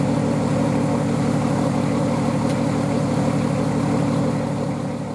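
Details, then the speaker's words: Nissan Patrol RD28 diesel after wire tuck and glow plug push-button install, intercooler not yet fitted: even, steady clatter at warm idle with no misses or knocks, rhythm holding constant. Normal diesel idle. "And yeah, it's running, so I think tomorrow, or even now, probably tomorrow, I've been working all day, I'll throw all of the intercooler and all of that good stuff on and get it to a stage where I can start driving it around and tuning with it."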